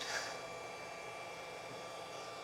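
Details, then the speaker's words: BougeRV DC600 DC-DC alternator charger on the bench, switched on with output near zero, set to 30 V but app dropped it to 13.25 V: steady fast airy fan rush with faint whine, no load change; the fan runs unusually hard for almost nothing. "You'll hear though that fan, well, you might hear, I don't know if my noise cancellation will cancel it out. That fan is still going really fast. For it basically just moving over almost nothing, that's a little strange to me."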